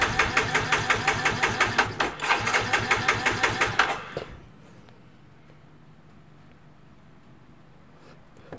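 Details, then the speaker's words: Yamaha Mio J fuel-injected scooter that dies suddenly, with the injector removed to check spray: about four seconds of even cranking, roughly three beats a second, with no firing. No fuel sprays from the injector, which seems slightly clogged, and its socket is found cracked. "oke benar saja di lubang injektor ini tidak mengeluarkan minyak ya tidak ada semburan minyak ya untuk di lubang-lubang injektornya tidak ada semburan minyak sepertinya injektornya ada sedikit tersumbat ya"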